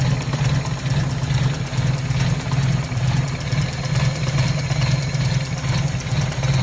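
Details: 1997 Toyota Corolla with hard starting: just started cold, idling low and a bit lumpy with a slow, uneven pulse. Idle speed sits too low, cause unknown.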